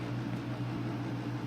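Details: Pride DX-300 linear amplifier with a single 4CX250B tube: a steady, even low hum and airflow hiss without the ticking and clicking this blower model usually makes; the blower is running quietly and healthy.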